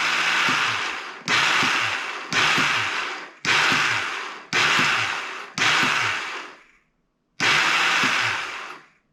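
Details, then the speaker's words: 2001 Yamaha Kodiak 400 ATV after new starter clutch and starter installed: repeated one-second cranking bursts, harsh whirring spin fading with no catch, noise unchanged; owner suspects starter or one-way bearing, unconfirmed. "sounds about the same I honestly don't know if it's starter one-way bearing darn it thank you"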